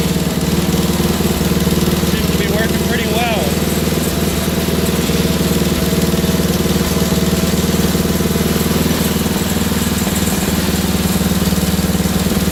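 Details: Wheel Horse GT2500 garden tractor, small engine just got running again; it thumps along at a fast idle with an uneven, lumpy, hunting beat. Rough running; owner suspects a stuck carburetor float, may pull the carburetor.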